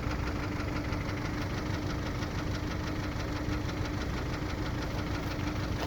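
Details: Kia Optima 2.0 engine knock at idle: fast, even tapping over the engine note, a knock from inside the motor, cause not pinned down.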